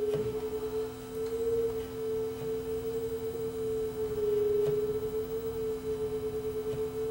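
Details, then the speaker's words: Sanyo RDS20 cassette deck playing a 440 Hz test tone against a reference before speed adjustment: the tone swells and fades in a slow beat, showing the tape runs flat. Slow tape speed. "we can hear that this was flat so we're just adjust the speed here"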